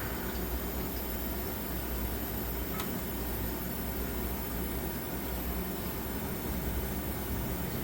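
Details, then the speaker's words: Manitowoc commercial ice machine after contactor replacement, harvest mode after about a 17-minute freeze cycle: even steady low hum, faint hiss, no knocks or rattles; normal harvest, waiting for ice drop. "It's in a harvest mode and we're just waiting for it to drop the ice."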